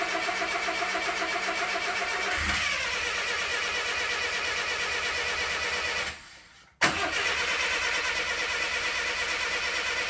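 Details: 1962 Mercedes-Benz 180c Ponton (W120) first start attempt: the starter churns at a steady, even pace but the engine never fires. Spark was verified but may be weak; no fuel was found at the carb inlet, so the fuel pump was tested. Crank, no start.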